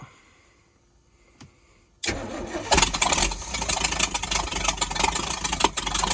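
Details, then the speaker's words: Abandoned early-1980s Sportscoach RV, 454 big block with Turbo 475, after sitting 12 years: quiet, then loud uneven cranking struggling to catch; flooded, fuel pump possibly pushing too much. ">> Flooded, flooded, flooded. >> Yeah, she's flooded. Go ahead and crank it again."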